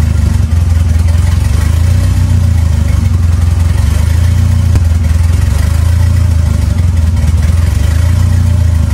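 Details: 2.3L turbo four Lima-swapped into Smokey on PIMPX batch-fire engine management, warming up for base timing check; steady low drone with gentle slow swell in speed, no knocks, misses or rattles; normal running.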